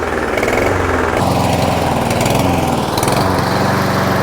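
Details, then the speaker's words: $125 Toro Super Recycler mower, 10 minutes after fresh ethanol-free fuel plus Seafoam: engine speed still rises and falls every second or two with occasional light smoke, unchanged; surging, with carburetor cleaning suspected as still needed. "All right, that's been 10 minutes now, and still doing it. Hasn't changed."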